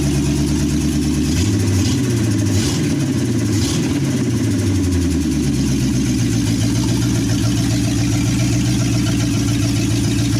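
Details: 1963 Chevy C10 with 355ci small-block V8 (350 bored .030 over), Turbo 350, reportedly low miles, second start after years sitting: open-piped engine blipped a few times then settling into steady, even lope, no knocks or misses; temp gauge not working, normal idle.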